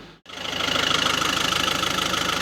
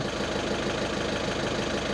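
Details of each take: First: VW Caddy 1.6 TDI, which idled rough after injector replacement, after a deviation minimum quantity reset: even diesel clatter at a steady idle with no stumbles or hunting; idle now normal, road test still planned. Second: VW Caddy 1.6 TDI at warming idle after injector replacement and coding, two new and two old injectors: diesel clatters unevenly with lumpy pulses, rough running from injector quantity deviation.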